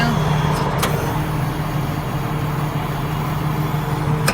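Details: PTO-driven hydraulic pump running after fix, engaged: engine idles evenly with steady low hum, no growl or rattle; earlier it growled because it couldn't suck (suction filter down in tank), pump now sounds healthy.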